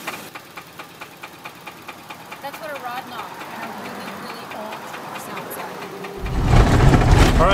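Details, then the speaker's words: Isuzu Trooper that broke down: steady knocking about four per second through the idle, then the engine note jumps louder; deep bottom-end rod knock, believed to be a spun rod bearing. "mother says it's knocking pretty hard so i'm sure she's right oh yeah it's a rod knock"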